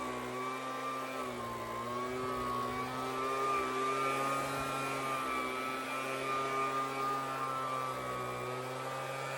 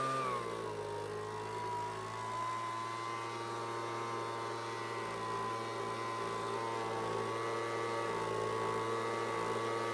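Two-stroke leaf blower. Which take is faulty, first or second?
first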